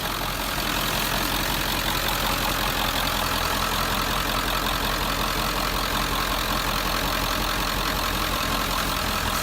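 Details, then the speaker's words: 1997 Ford F350 7.3L turbo diesel just after oil change, about 13 quarts, no leaks at drain plug or filter; loud steady diesel clatter at even idle, no misses, knocks or surges; normal idle. "we're good. We have no leaks. We're going to let that run for a minute."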